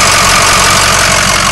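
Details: Ford 6.0L diesel with a new remanufactured longblock showing a head gasket leak, coolant leaks and positive crankcase pressure (blow-by): loud idle with a steady, fast clatter over a hissing top end; owner hears a knock not present on other 6.0s, cause unclear.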